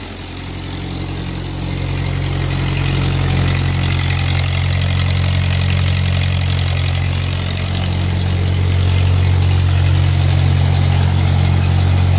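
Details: 1946 Ford 9N tractor (also labelled 2N) on its third start after a full engine gasket set, carb rebuild, valve seals, bent exhaust valve fix, and timing and carb tuning; steady, even idle putter at about three pulses a second with no misses or knocks: normal idle.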